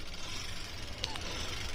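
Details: Bajaj Discover 100cc after engine rebuild with new piston, head, timing chain and clutch plates. Loud clattery idle with busy rattle over low exhaust beat, smoking; suspected loose rocker arm and possible piston noise from worn internals.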